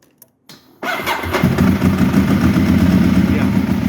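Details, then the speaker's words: Ducati 1198 after fixing intermittent no-start caused by corroded starter cables, battery at 12.5 V: engine catches at once and settles into a steady, even idle with no hesitation; normal healthy start. "brilliant, much better. Straight away."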